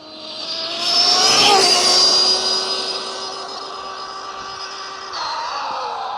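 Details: 1/7-scale RC NASCAR Craftsman truck, electric, run flat out after a 75 mph pass: high-pitched whine with a harsh, rough edge rising and falling with speed under throttle, sounding clean when wheels are lifted; blown rear differential.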